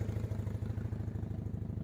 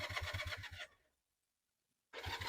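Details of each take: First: Honda CB175 twin, warmed up after a rough cold (~45°F) choke start: steady, even low thumping at idle with regular firing pulses and no misses or knocks; running great, normal warm idle. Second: Honda CB175 twin, cold start on choke after sitting since before Halloween, sticky throttle: cranks, cuts out, then catches into a weak, uneven putter that fades and stumbles; hard cold starting, dislikes choke.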